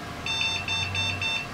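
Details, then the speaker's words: Computer POST error on power-up, motherboard announcing the error over speakers: a string of short high-pitched beeps and no normal boot; the ASUS video card turned out to be failed (fried) and was replaced. "maybe ain't heck well there's our cue time to get that video card replaced okay stalker card is out and this card is officially fried"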